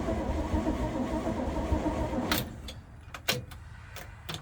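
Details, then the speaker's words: COE truck after the fuel tank was reinstalled, low on fuel, with a battery jumper and some throttle. The starter turns it over steadily but it never fires, then only clicks. Owner suspects it needs more gas; the choke lever is also sticky. "it's cranking now see if i can't give it a little gas it doesn't sound like it's doing anything"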